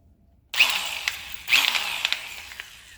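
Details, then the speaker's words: DeWalt DWE4120 angle grinder, dead until new motor brushes fitted: spins up with a high hiss and a few light irregular clicks in the first seconds as the fresh, rough brushes wear in, normal after brush replacement. "Beautiful. You heard that little clickety-clickety part at the beginning? It's always going to happen whenever you replace brushes. The brushes got to get worn in."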